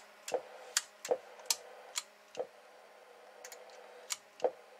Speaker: So, and these little relays here, they're closed out, you can't see them move, and they you can barely feel them switch, but you can hear.